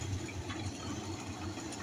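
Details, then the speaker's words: Electrolux window air conditioner after disassembly to cure a loud tinny fan noise: low, even hum with soft steady whir from the rear fan blade behind the housing, no rubbing or rattling; normal running. "aí esse barulho é o barulhinho normal mesmo da hélice de lá de trás que igual falei fica atrás da caixa ali daquela a caixa lá"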